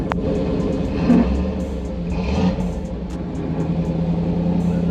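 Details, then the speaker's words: 1991 Camaro Z28 heater blower motor: a loud, steady, low droning hum with a constant rough note. The heater works but the worn blower motor is noisy and is to be swapped for a new one. "of course it doesn't want to do it now hear it that noise right there if i turn it off [Music] yeah it ain't supposed to sound like that"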